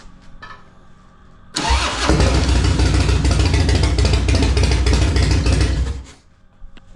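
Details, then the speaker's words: 2000 Harley Dyna FXDX, started the day after its broken cam chain tensioner was replaced with a Feuling cam chest kit (HP+ cam plate, oil pump, Reaper 525 cams). It catches instantly into a strong, even V-twin lope with no ticking; normal start and idle. "Nice. She's back. All right, fresh 525 fueling cams."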